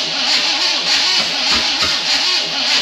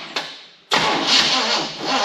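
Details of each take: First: 1974 Chevy K20 small block, first start after sitting outside for years, distributor three teeth off: thin, uneven cranking that won't start, only two cylinders seeming to fire, ignition timing off. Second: 1974 Chevy K20 small block, first start after sitting outside for years: catches after a short crank and settles into an even, clean run with no misses or knocks once ignition timing was corrected.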